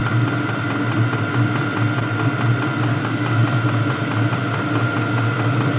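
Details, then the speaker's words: HCALORY HBH2 5L 8kW diesel heater, warmed up, normal altitude mode at 81 m above sea level: soft steady hum with light regular dosing pump ticking several times a second, runs fairly quietly once hot; normal running. "So you can hear once it heats up, it runs fairly quietly."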